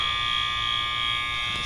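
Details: School overfill alarms heard, audible from far away and likely to stay on overnight; steady, piercing high electronic tone without a break. Fire panel supervisory was a shunt trip monitor issue, believed unrelated; cause unknown.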